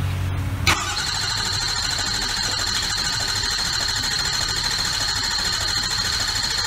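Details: Ford 6.0 Powerstroke diesel after rebuild: cranks and catches within a second, settles into steady even idle with light high whine; healthy, oil pressure holding about 33 lb.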